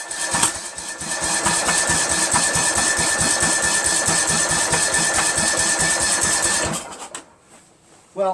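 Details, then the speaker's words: Craftsman lawn tractor after rebuild with carburetor, manifold, linkages, muffler and flywheel reinstalled, cranked with choke on; uneven chuffing pulses about twice a second that sputter but never run. Owner suspects timing is off. "saw some sputtering over there I'm feeling the timings off"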